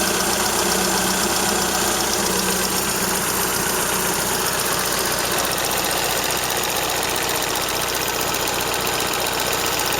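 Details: Toyota Corolla Ceros, 4A-FE engine, C50 manual gearbox, idling: a quick, loosely regular tick-rattle near four per second. Owner unsure if it is valve tick or gearbox shaft rattle; the exhaust flex pipe also leaks slightly.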